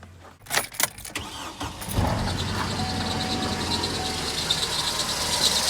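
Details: 2008 Chevrolet Colorado 2.9 engine running; a thin, faint squeak over the hum from a worn water pump bearing, the pulley wobbling as it spins, coolant slightly low with an antifreeze smell; first heard while driving.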